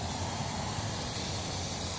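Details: Ford Explorer overheating, with a burn mark on the hood centre and new wet spots on the ground: steady hiss of escaping steam over a low hum as the cooling system vents. Timing chain noise is also present.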